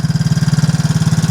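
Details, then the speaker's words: Four-wheeler ATV that sat about a year, started after adding gas and starter fluid and opening the fuel valve, warming up: steady, even low putter about twenty pulses a second, no misses or knocks; normal idle. "So, put some gas in it. Hit it with a starter fluid a couple of times and she kicked right off. So, um I've been letting her warm up since she's been sitting so long."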